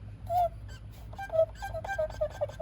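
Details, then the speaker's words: 2003 Mercedes E55 AMG (supercharged), engine off with belts removed, pulley turned by hand during a check before alternator replacement: irregular short high chirps; squeaking pulley, owner suspects the water pump may need replacing soon. "sounds a little squeaky. It's 100% a squeaky noise. Might need a water pump soon."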